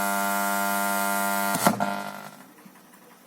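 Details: Microlab powered speaker with a loud, steady, buzzy mains hum that cuts off with a thump after about 1.5 seconds. Two power-supply filter capacitors need replacing.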